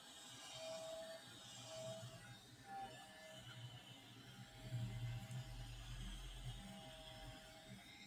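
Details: Lightly used DJI RC 2 controller from a DJI Mini 4 Pro setup, under 30 hours of flight, with its internal fan at high rpm making a rattling grind, loudest when tilted or moved; volume boosted 20 dB.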